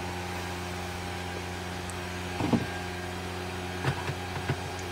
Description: I don't recommend it for home use as the stock fan is VERY LOUD!